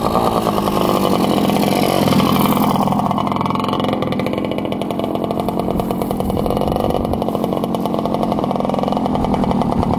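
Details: 1967 Yamaha YL1 two-stroke motorcycle, barn find revived after sitting over 40 years, normal idle: crisp buzzy idle, steady and even with no misses or stumbles; fired right up and idles perfectly.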